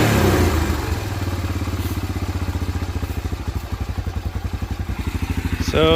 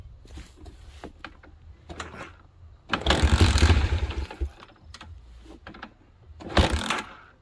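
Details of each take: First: 1987 Honda TRX250 Fourtrax single, sat about ten years, running after carb cleaning on a temporary gas tank; even, steady putter at low idle with a quick throttle blip; runs clean. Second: 1987 Honda TRX250 Fourtrax, sat about 10 years, carb worked on, temporary gas tank, idle turned up: after several cranking tries it catches into an even thump about four per second; idle jet not clogged, but likely dies on throttle from a clogged carb passage.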